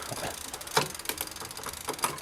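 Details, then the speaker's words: E-bike rear derailleur after a quarter-turn counterclockwise barrel adjustment adding cable tension: sharp clicks and ticks as the chain shifts down the cassette, one lagging with slight hesitation; cable tension too high. "it's dropping down with a slight hesitation on the way down, which will add noise to the system."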